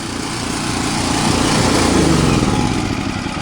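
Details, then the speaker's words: Champion generator, 3–4 years, over 1000 hours, sat for months: unloaded speed hunts and cycles, smooths out under load; owner suspects gummed carburetor and original spark plug, unconfirmed. "it still starts i just had it running but it's just hunting all over the place can you hear it cycling and if you look where is it over here just trying to find the right idol so it still makes power and when you you know put a load on it smooths right out"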